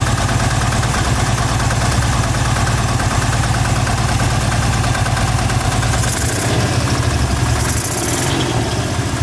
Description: Engine has 500 hours and was ran low on oil with resulting rod knock.